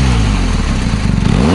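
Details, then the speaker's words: BMW R1250GS ShiftCam boxer twin, stationary throttle blip on the stock exhaust, about 10 °C: deep, loud exhaust bark rising quickly and climbing cleanly; healthy engine, the stock pipe is known to be loud. "Alors le pot il est assez bruyant, hein. Il y en a beaucoup qui lui reprochent qu'elle fait trop de bruit."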